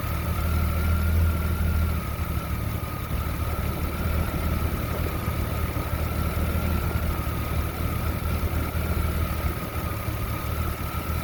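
Low, uneven engine idle with a lumpy, unsteady pulse and no clean rhythm; the idle is running rough, cause not evident.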